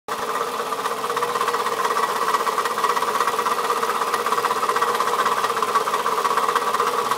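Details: 2004 Toyota Camry at steady idle, noise started today: a light, fairly even knock about three times a second over the engine hum. Owner suspects a bad piston; this engine knock is not confirmed.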